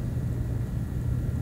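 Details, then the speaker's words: AMD A6-5200 bargain desktop PC after replacing a dirty fan that made an odd noise with a nearly identical fan: only a low, steady, even hum with no ticking, buzzing or rattle; fan running smoothly. "i noticed pretty quickly once i started testing that it was making a odd noise so i replaced it with this nearly identical fan that i had laying in my garage and now it sounds like this"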